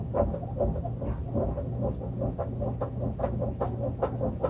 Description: Noisy Samsung washer with bad bearing